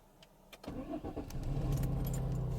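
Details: Peugeot 407 sedan, EW7A engine, that refused to start, with fuel pump relay/fuse suspected and the L9 removed: short priming whir, then it cranks, fires within a second and settles to a steady, even idle; normal start.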